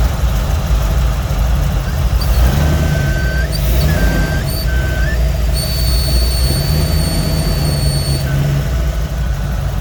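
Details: Engine idling steadily with a thin high whistle and hiss coming and going, like air being sucked in. A vacuum leak is suspected but the source is not confirmed.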